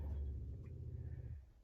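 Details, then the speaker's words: Newly installed upgraded RV fresh-water pump replacing a failed one: a low, soft, even hum runs smoothly, then drops away as it stops. Much quieter, with more water flow than the old pump; normal running. "much quieter and noticeably more water flow as well"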